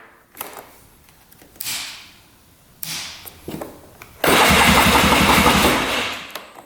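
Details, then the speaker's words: 2002 Polaris Scrambler 400cc 4x4 ATV with replaced battery and repaired electric starter: several bursts of steady cranking at about four turns a second, each ending without the engine catching; cranks but won't fire, with spark, compression or carburetor still unknown. "let's see does turn over pretty good let's see if she fires up all right does not"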